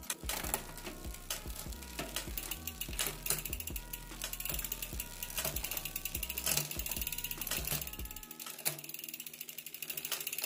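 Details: Rear derailleur after adjustment: crisp ratcheting clicks as the chain steps across cogs, clean shifts with no grinding or rubbing, normal gear shifting.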